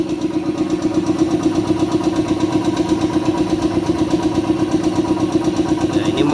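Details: Shark 1 HP twin-cylinder belt-driven compressor (550 rpm, 83 L tank, 7 bar) filling its tank, which auto-stops around 90: steady, even pumping beat with a smooth mid hum, no knocks or rattles; quiet, normal running.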